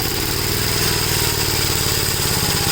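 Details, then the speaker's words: 1957 Gravely LI single-cylinder tractor before its carburetor is pulled for swapping onto a rough-running 1956 L. Steady, evenly spaced thump at a settled idle with no misses or surging, a healthy idle. "okay so I decided to pull the carburetor off the 57 here as you can see it runs good"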